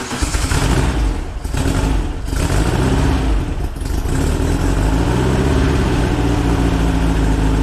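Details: VW Split Bus engine upgraded from 1904cc to 1968cc with SuperStock heads and Weber carbs: quick start, a few throttle blips, then a deep, steady flat-four idle with no tapping or rattles; healthy.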